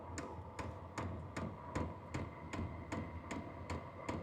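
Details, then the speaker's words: H-Calory diesel heater priming at level 1 on startup: sharp, evenly spaced fuel dosing pump ticks, about 2.5 per second, over a low heater rumble. Ticking slows once running and quickens at higher levels; a quieter replacement pump is being tried. "Now you can hear the ticking. The ticking does go down once it starts up. Right now it's just priming."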